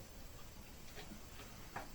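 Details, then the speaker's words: Lincoln Navigator II steering rack on the bench after adjusting the rack nut while rocking it, turning the cardan shaft: quiet rocking with only faint light taps, the earlier knock over bumps gone. "стук исчез можно чуть еще вот вообще вот и другом за кардан и пром проворачивать"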